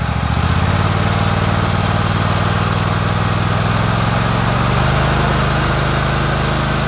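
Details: Kohler Command 25 V-twin; steady even idle with a soft rhythmic puff on the exhaust beat from the right cylinder, still runs smooth; burnt plug on that cylinder and power loss: blown head gasket.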